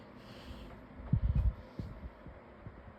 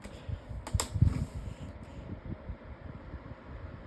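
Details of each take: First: Lasko 18-inch table fan on low with oscillation on: quiet run broken by dull clunks then softer clicks, a catch in the oscillation drive. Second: Lasko 18-inch table fan with replacement blade at medium speed: after a brief knock, an even soft airy whoosh with low steady drone, quiet like a cyclone pedestal fan; normal operation.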